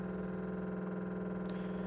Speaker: Ça tape parce que le soleil tape sur l'immeuble et donc les radiateurs, les têtes thermostatiques des radiateurs de l'immeuble commencent à se fermer. Puis là, la pression différentielle est trop élevée et donc ça fait ce bruit.